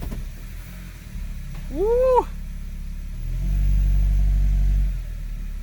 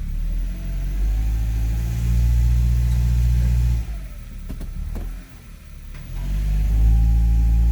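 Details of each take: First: 2002 Honda CR-V AWD automatic after transmission mount and front mount replacement: engine idles, revs rise briefly as it goes into drive with no thump or jolt; mounts fixed. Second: 2002 Honda CR-V AWD automatic shifted into reverse under load: steady idle rumble, then the note drops and sharp knocks or a kick pop through. The transmission mount is destroyed.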